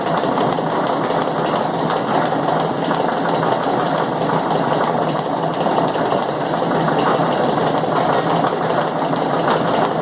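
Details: Chain mechanism (LOBC, 18 Feb 2016), chain thought to take about one minute per revolution: steady mechanical clatter with sharp knocks repeating, especially loud ones periodically; periodic knocking in the drive, cause not found.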